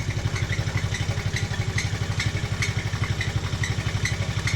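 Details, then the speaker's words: TaoTao 110cc mini quad, single-cylinder, idling after sitting a while: light metallic ticking clatter over a steady low thump; owner suspects top-end bearing, cam or valves, says it usually improves when warm; unconfirmed. "you can tell definitely spawned a bearing on the top end but when it warms up usually it gets better"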